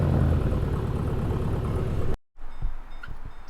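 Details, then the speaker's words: 2011 Chevrolet Caprice ex-police car: after new plugs, wires and cylinder 6 coil pack, deep rumbling idle with uneven lumpy beat for two seconds before shutoff; misfires persist on cylinders 4 and 6. "so unfortunately we did the plugs and the wires that's the low hanging fruit if we have an issue the wre the wires were definitely an issue so we changed them out Chang this the coil pack but we still got in four and six"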